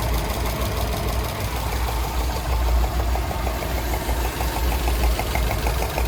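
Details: 2007 Subaru Legacy GT EJ255 engine, warm, idling with a steady light tapping knock several times a second; tapping occurs when warm.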